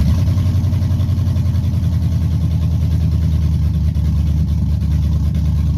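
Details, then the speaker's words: Chevy truck 5.3 V8 after bent-rod repair with Summit pistons, stage 1 cam, TBSS intake and 90 mm throttle body: deep, lumpy idle with a steady cam lope that rocks the truck, even and free of knocks or rattles. It runs healthy. "I might try to get the staff to get this specs on this cam it sounds good"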